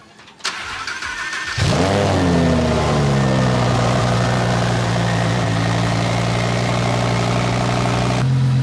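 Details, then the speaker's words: Audi R8 V10 Plus with a Sheepey Race Stage 1 twin turbo kit and water system, cold start: starter whirs, the engine catches and flares, then a steady fast idle with no knocks. Normal cold start; the water pump adds slight idle whine. "So with that being said, let's start her up. It'll be a cold start, so you're in for a treat."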